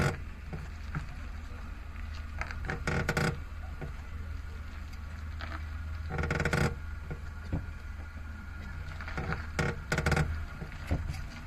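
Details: Suzuki Alto Works HA36S past 40,000 km, warm, clutch pedal operated slowly: low steady engine hum with three short scraping, clattering bursts a few seconds apart as the clutch engages; clutch judder with noise and vibration, appears only once warm.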